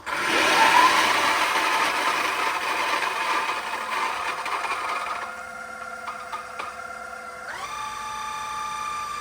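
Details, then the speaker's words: Option-O Lagom 01 coffee grinder grinding beans after the noise-reduction hack; steady motor whir with a high tone settling lower near the end, no shrill squeal; the formerly annoying end-of-grind noise is essentially gone, running quietly. "you hear that very quiet so the the last part which used to be the really annoying part is pretty much gone now uh that annoying noise"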